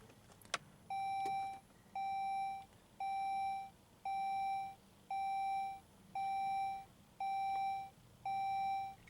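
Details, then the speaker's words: 2006 Saab 9-3 idling after first start of the day: eight steady chimes about one per second with stability control failure message, third time it has appeared, not yet scanned; dashboard warning chime. "oh yeah we got the stability control failure uh message this will be the third time that it has appeared"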